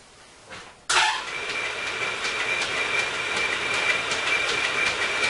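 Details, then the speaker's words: Sibley drill press flat-belt drive in direct drive (not through back gear): even whir with a faint high tone and soft belt patter, no knocks or rattles; runs so smooth a file sitting on it stays put. "And this thing runs so smooth that I never have a problem with that file sitting there."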